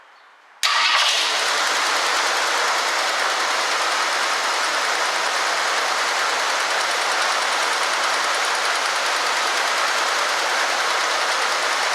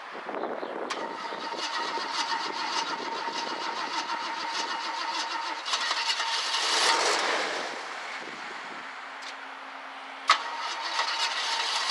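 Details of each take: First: 1965 Ford Galaxie 500 two-door hardtop project car, started straight off the fuel pump; owner suspects a fuel restriction from the tank. It catches right away and runs steady and even with no stumbling or hunting: normal running. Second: 1965 Ford Galaxie 500 project car, five gallons in the tank and fuel poured into the carburetor; owner suspects the fuel pump isn't delivering enough fuel. It cranks and catches unevenly, with a ragged, faltering run and bursts of revving: hard starting.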